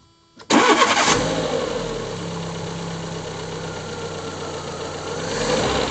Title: Fiat Punto mk2 1.2 16v rough idle